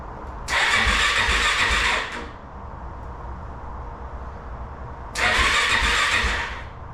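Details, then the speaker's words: Kawasaki KFX400 quad after crankcase replacement, engine reinstalled and a bad electrical connection fixed, cranked without fuel tank to circulate oil and check spark: two even starter bursts about 1.5 seconds each, spinning freely without firing; good spark found. "So let's fire this thing over a little bit, get some oil through the engine, see if we got spark."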